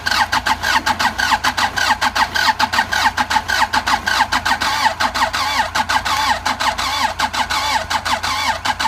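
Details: Andoria 4CT90 diesel engine cranking: a steady starter grind with even compression pulses about a hundred per minute, but it never catches; some compression felt, though not strong. Cranks but won't start.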